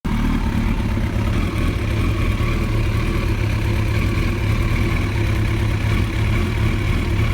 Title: Rough Idle